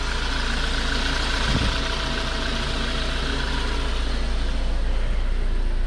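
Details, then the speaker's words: VW MK5 Golf 1.4 TSI twin-charged after water pump and supercharger clutch replacement, freshly refilled with coolant, not yet warmed up: smooth, even low idle, no squeak, tick or knock, running quietly; check engine light on. Normal idle. "it's quiet"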